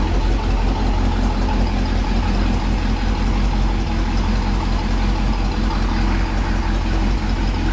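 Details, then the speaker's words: Idle of a Ford Police Interceptor 312 V8 with two four-barrel Holley carburetors: a deep, even V8 burble with a steady rumble and no misses, ticks or knocks. It is a smooth, healthy normal idle. "Probably a little noisy back here, so you can hear how sweet she runs. Keep in mind, this was all done with a slide rule and a sheet of paper. Just as smooth as anything out there."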